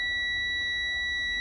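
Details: Commercial truck cab during a CDL-training pre-trip inspection, with the key turned on to check the gauges before the air brake test: a steady, high, piercing warning buzzer tone holds unchanged with nothing else behind it.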